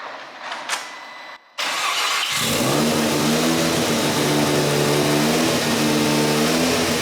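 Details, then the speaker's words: Mazda FD3S RX7 13B rotary project first start after new loom, fuel system, induction changes and a long sit, Adaptronic ECU; brief cranking into even buzzy idle with small rev lift, runs and sounds healthy, normal idle. "I reckon for now, we know it runs, it sounds healthy, let's get it together."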